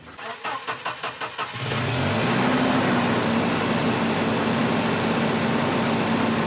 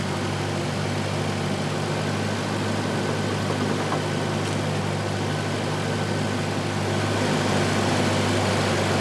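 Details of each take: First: 1985 Volvo 240 (LH2.2): cranking brief, it catches and settles into a steady, too-fast idle that never drops. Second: 1985 Volvo 240 (LH2.2, B230F family) after replacing a faulty idle air control valve: even, low idle rumble at steady speed with no hunting, surging or misses, sounding much better than before; normal idle.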